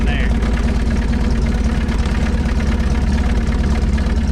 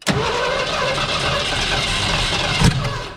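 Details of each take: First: 1970 Ford Mustang Mach 1 V8 after its first start in about 40 years; the engine started right up with just a tap. Deep, steady burble with an even beat, no knocks or misses. Healthy, settled, normal idle. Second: 1970 Ford Mustang Mach 1, first start attempt after nearly 40 years sitting: steady cranking then one sharp loud pop as it backfires through the carburetor with big flame; carburetor to be swapped.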